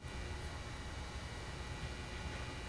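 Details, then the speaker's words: Original Raspberry Pi PoE HAT fan at lowest speed, after the new PoE+ HAT, normal: faint steady airy hiss with soft hum, no ticking or rattle. "here are both poe hat fans at the lowest speed first the new poe plus hat and then the poe hat"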